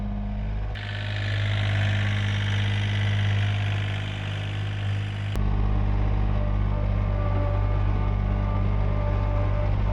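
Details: John Deere 1445 with freshly rebuilt Yanmar 3TMV88 three-cylinder diesel, first start, smoke cleared after 20-30 minutes: steady even beat at mid throttle, no knocks or misses; running normally and timed correctly.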